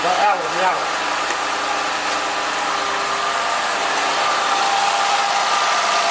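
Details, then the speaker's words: 2010 Ford Fusion 3.0L V6, first restart after spark plug change with intake manifold removed and refitted: steady, even idle with a smooth hum and no misses, ticks or hissing vacuum leaks; normal idle. "Alright, sounds really nice, really smooth."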